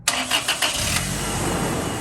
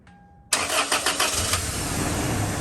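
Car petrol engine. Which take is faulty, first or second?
second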